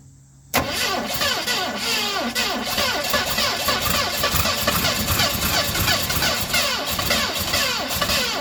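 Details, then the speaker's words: 1970 Ford Mustang Mach 1, start attempt: starter cranks steadily for several seconds with no firing; cranks but won't start, timing suspected off by a tooth, unconfirmed. "Well, she just doesn't want to fire, guys. I believe our timing is off. I think we're off a tooth in the timing."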